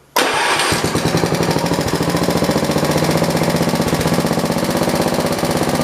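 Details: John Deere 112 round-fender, Kohler K181 single with new carburetor: starts at once, then slow even thumps that never pick up speed; won't throttle up, fixed by adjusting governor and throttle linkage.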